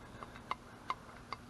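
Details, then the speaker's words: EZGO Robin golf cart engine rebuild, reassembled cylinder head: crisp even clicks about every 0.4 s as the valve snaps onto its seat; operating normally. "Valve operating like it's supposed to."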